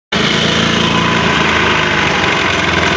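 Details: Honda Beat scooter starting and idling: a coarse, chopping helicopter-like throb from the CVT area, said to be quiet when throttled.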